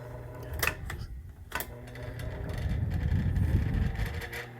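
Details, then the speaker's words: Vintage electric fan struggling to start on speed changes: low labored hum with uneven ticking about four times a second as it drags up to speed; suspected dry motor bearings needing grease. "And I'm going to try to figure it out to see if it's a matter of maybe just greasing it up a bit because it's making quite a bit of noise. I want it to run smoothly."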